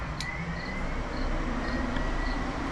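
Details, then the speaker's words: 1975 Ford F150 with 390 FE engine, relay box bench-tested with 12-volt power: sharp relay click, then steady low whirring hum of the electric cooling fan running; relay box needs rewiring as fans were switched ground. "You can hear the fan running up there. I think you can hear the fan running up there."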